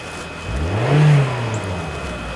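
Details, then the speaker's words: 2010 Toyota Corolla 1.8 L with immobilizer codes B2797 and B2799 starts with a new key, security light still on. It revs smoothly and settles back evenly with no misses or knocks: normal revving. "The engine is running. I mean, the security light is on. The engine is running. Hold on. Let me rev it."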